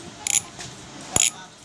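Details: MAXZONE Stroke 1.0 rear cassette hub (32 holes, 3 pawls, 3 teeth, sealed bearings, 9–10 speed), freewheeling: short bursts of crisp, rapid, evenly spaced high clicks. Normal, healthy freehub clicking.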